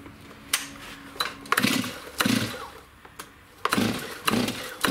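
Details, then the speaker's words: STIHL MS291 chainsaw, hard starting, bogging and won't idle, fuel mix checked good: blips up then stumbles and dies back in uneven bursts when throttle is released, never settling to a steady idle. "see when you Throttle Down it just does not want to stay idling properly"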